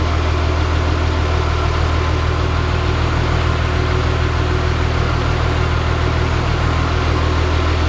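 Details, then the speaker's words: Caterpillar D3C LGP dozer diesel idling in the shop after refilling hydraulic oil following a blown hydraulic hose; no oil seen spraying. Deep, even rumble with a steady firing beat and no knocks or misses; healthy, smooth idle. "Sounds good enough to me."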